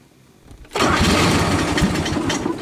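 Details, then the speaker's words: Rebuilt Grasshopper 721 mower, straight three-cylinder Kubota gasoline engine, new battery, started on choke (always needs choke): brief cranking, then fires and runs with a steady, busy three-cylinder beat; good cold start. "there it was fired there there it is running a three cylinder Koda gas but it does have good torque and all right power"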